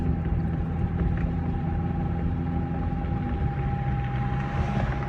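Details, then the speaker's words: Dodge Charger driving after hours of front suspension work, with the outer tie rod still worn and awaiting replacement before alignment: steady low road rumble, no clunks or creaks over bumps. The suspension is quiet. "you don't hear any creaking or anything like that on this thing no more no more that uh bs okay"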